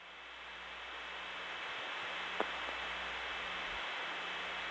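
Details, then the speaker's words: Steady loud hiss with faint constant tone underneath: old long-distance call carrier noise through a poor early T1 carrier, recorded January 1979 from Atlanta's Trinity step-by-step telephone office. "the sound of old-fashioned long-distance carrier through a particularly crappy early form of t1 carrier"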